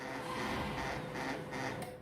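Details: Canon laser printer printing with a 12A toner cartridge: loud coarse grinding with a rough pulsing rhythm about twice a second, then dies away; printer itself runs quiet, fault is the cartridge's magnetic roller dragging.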